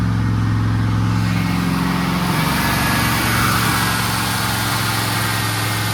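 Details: Turbo Trans Am V8 on its first start after a partial overhaul (reworked heads, new camshaft, adjusted valves, new turbo), in a 30-minute break-in at fast idle: deep, even, with a smooth rev rise and good oil pressure. Noise and misfires from left-bank valve play developed later.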